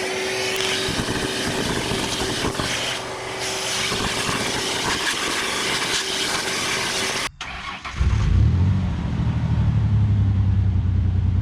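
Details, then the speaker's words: Pickup truck after clearing a clogged air box, previously not driving because of a locked-up brake: rough noisy stretch, then a steady, even idle with a firm low hum and no misses; runs better than before. "right so I'm really glad I check that and clean that out because now it sounds like it's running even better that was definitely clogging things up things actually driving normal as far as I can tell"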